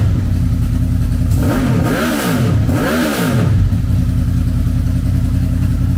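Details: Wrecked 2006 Honda VFR800 V4 auction motorcycle running after rod installed to stop oil spitting out; exhaust needs repair; even idle with two quick clean revs, no knocks or rattles, runs healthy.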